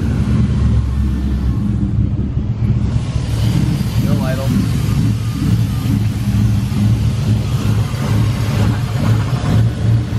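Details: Mustang V8 with newly installed cams; lumpy, uneven idle with a deep rumble that never settles; first blamed on a misfire, but owners found it was a massive vacuum leak.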